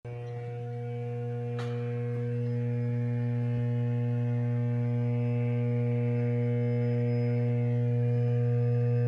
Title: =D06 Transformer T703 Bay VT Y- Ph. more vibration and abnormal sound -1 of 2